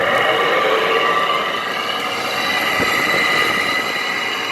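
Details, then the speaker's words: 2010–2013 Frigidaire window air conditioner with a Toshiba compressor and Welling fan motor, left outdoors at least 3 years, at startup: harsh, steady high-pitched squeal and whine over the airflow from horribly worn fan motor bearings. "There are actually still Frigidaire units in my neighborhood that run with horrible bearings just like this. Dang, this thing sounds like a Sharp."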